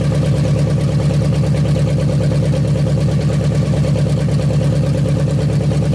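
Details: 1956 Studebaker Golden Hawk V8, first start in 50 years, carburetor and mechanical fuel pump working; smooth even idle burble, regular beat, no tapping or misfire; running good, needs a little fine tuning.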